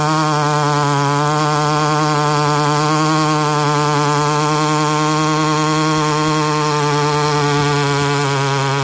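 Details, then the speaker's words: Husqvarna 288XP clone chainsaw, oiler turned up fully yet still suspect, cutting at steady high revs with even buzzing drone; chain going dull because the oiler isn't doing its job, owner to try an OEM oiler. "I'm sure you guys can see and hear it change starting to go dull Euler's not doing its job so I'm gonna dig through my spares and see if I have a good OEM Oiler and start from scratch again"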